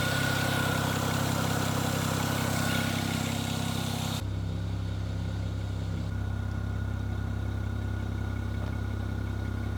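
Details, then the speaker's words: BMW 335i E92 N54, rebuilt engine after fire damage, after replugging a missed vacuum line to the exhaust manifold flap that caused misfiring: smooth even idle, steady low hum, no stumbles or misses; running normally. "so as we can see the car runs perfect"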